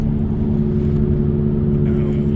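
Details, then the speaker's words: First-gen Ford Edge cruising at speed: steady low hum and buzz under road noise, seemingly from the rear passenger side; suspected rear wheel hub bearing, later replaced with a new hub and bearing assembly. "sounds like we got a rear uh hub bearing going I'm going to pull it apart and check it out when we get back home"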